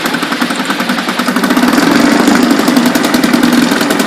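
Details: 1976 Ted Williams Sears 7.5 hp ESKA Gamefisher two-stroke outboard (Tecumseh air-cooled), after a carb rebuild and new fuel lines: a crisp, rapid putter at a steady idle with even firing and no stumbles, running healthy.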